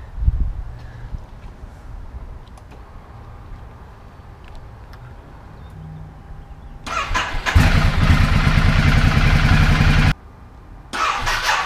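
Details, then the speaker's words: 2010 Ducati Multistrada 1200, after fitting new high-capacity battery and starter cables to fix slow starting: brisk crank catches in under a second into a strong twin idle, restarting quickly; starts in about half the time, healthy. "well i'd say so start it up probably in half the time and the crank over speeds a little bit faster so that is a result"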